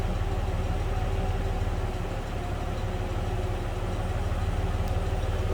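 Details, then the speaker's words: 1960 Mercury Comet inline six, heard from the rear at idle: a steady, low, even putter with no knocks or misses. It runs as expected for a healthy inline six of that age. "Slip around to the back and hear it run. That's what you'd expect out of an inline 6 from 1960."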